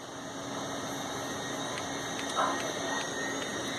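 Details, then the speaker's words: Old 286/Pentium-era PC at power-on: faint light ticks about every half second through the PC speaker over steady fan hiss, one tick per tested memory increment; normal memory test at POST. "if you hear that ticking that was actually something a lot of older computers did as a test of the memory you'd get clicking through the PC speaker each increments of tested memory was one tick"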